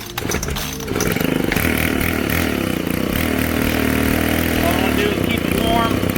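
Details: Ryobi 4-cycle Expand-it trimmer, after priming, choke start and about a minute of warm-up with choke wound out: small engine held at high revs, buzzing steady and even with no misses, running clean.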